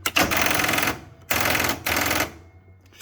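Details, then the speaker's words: Exmark Lazer Z zero-turn mower with a Kohler Command Pro 18 whose battery won't stay charged: three bursts of fast chattering clicks, each about a second, with no cranking; the starter solenoid is chattering on a dead battery. "Yeah, battery's still dead on it, so let me grab a jump pack here real quick."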